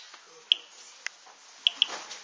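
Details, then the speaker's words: Geiger-Müller counter with loudspeaker, counter just reset, counting natural background radiation: sharp, irregular single clicks, about five in two and a half seconds over a quiet background, the normal background count. "ich resette den Zähler man hört das klicken und die natürliche Strahlung wird jetzt mitgezählt die ist ja unregelmäßig"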